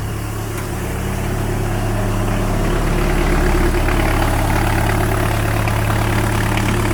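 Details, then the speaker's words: Chrysler off-road van engine running with no exhaust line fitted, just after starting first try. It holds a loud, raw, steady idle, even and smooth with no knocks, misses or odd noises. The engine sounds healthy. "voilà il démarre vraiment aux quarts ça c'est vraiment nickel pas de trucs bizarres rien du tout"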